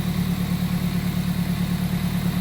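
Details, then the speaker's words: Toyota MR2 Spyder test start just after fitting a new belt and pulley: smooth, even low idle with steady beat, no belt squeal or chirp; normal idle, though owner suspects a small intake vacuum leak. "There you go. New belt is installed. Pulley's on. We're ready for a... Let's give it a test start. That's more like it."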